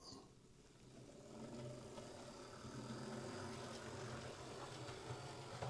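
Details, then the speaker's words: Bachmann Class 24 model locomotive after repair: solidified grease on bogie gears removed and tight bogie fixing screws eased; now runs smoothly with only a slight growl, no more clicking/ratcheting sound, drawing about 150 milliamps. "I think that's a bit better. Don't mind it making a wee bit of a growl, that's okay. Yeah, that's a lot better. It's not making that sort of clicking, ratchety sound."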